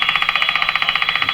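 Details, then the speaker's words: Brand and Millen Co-op 751 five-tube radio on 120 V with two weak tubes, tuned to a station: rapid even popping about twelve per second over a steady high tone; intermittent interference from an unknown source. "So that interference, which is just showing up, which comes from I don't know where, comes and goes, does exactly what you heard. Pop, pop, pop, pop."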